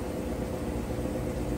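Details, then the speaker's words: Whirlpool top-load washer, near-new condition, lid lock bypassed, in spin cycle: smooth, steady low whir at constant speed, no thumping or grinding; spinning fast, extracting water well; normal spin. "So I can show you now that it is spinning nice and fast. Doing an excellent job extracting the water out of those clothes."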